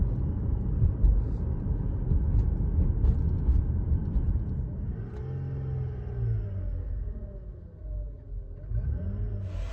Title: 2010 RX350 transmission making whining sound when accelerating. Any idea why this is happening?